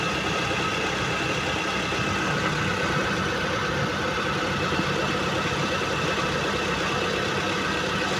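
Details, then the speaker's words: 2014 Mitsubishi T120SS 1.5 injection pickup, about 60,000 km: engine held at 3,000–4,000 rpm, smooth even roar, no knocks or odd noise and no exhaust smoke; high revs healthy, normal. "oke ya kita geber di RPM 3000 4000 aman dia gak ada ngasep di bagian knalpot jadi mesinnya oke terus putaran tinggi juga oke suara juga gak ada yang janggal"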